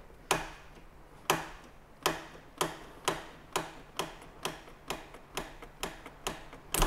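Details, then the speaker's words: Old West German vehicle parked for many years, ignition just turned on: sharp clicks about every half second are sparks arcing at the untightened negative battery terminal. "oh Sparks where are they coming from the battery which side on the negative side oh I didn't do that up"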